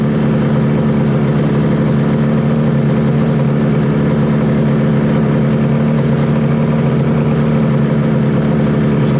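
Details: 1968 Yamaha YAS1C 125 two-stroke twin after carb sync and timing work, air screw at 1 3/4: loud steady idle, even beat, no stumbling or misfires, normal idle.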